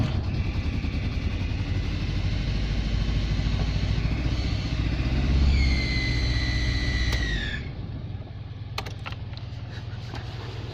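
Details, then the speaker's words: Nissan Bluebird first start after head gasket and water pump replacement. Rough cranking and stumbling firing with a high, steady screech that falls away as it dies. Caused by one valve clearance set far too tight, then reset. "turns out that one was far too tight in the valve clearance so reset it"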